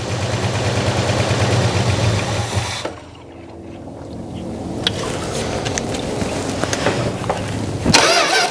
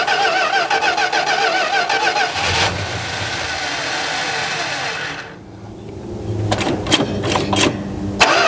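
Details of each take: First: 1971 Plymouth Road Runner 340 V8 fired on fuel poured in; catches and settles to an even steady idle, no ticking from the valvetrain; carburetor still needs a rebuild and its diaphragm is not working. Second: 1971 Plymouth Road Runner (questioned 340 H-code V8) after filter and fresh 10W-40 oil: cranks repeatedly in short bursts but never catches; no fuel from the carburetor, which needs a rebuild.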